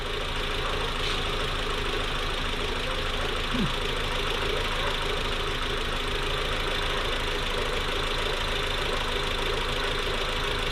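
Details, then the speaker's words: Newly built engine in a VW Mk4 at first startup, smooth idle with a light quick ticking and no deep knock; normal injector tick, Mk4s notorious for it. "that's the vw tick that was actually the injector tick mark fours are notorious for it uh it's just an injector tick it's very very normal"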